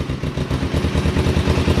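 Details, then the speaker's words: Cheap used motorbike on its first start in neutral, cold and on manual choke, with possibly old fuel and some smoke. Low, lumpy, uneven thumping idle that stumbles and nearly stalls, and it won't hold idle. Rough cold idle. "oh yeah oh wow she starts straight up obviously a little bit cold a little bit lumpy um but if we give her some give her some choke and give her some time to warm up"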